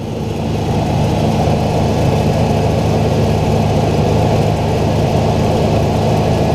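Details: 2005 Ford Ranger running after a jump start, alternator (about two months old) charging at 14.5 volts; steady, even idle with smooth low rumble, no knocks, ticks or whine; healthy engine and charging system.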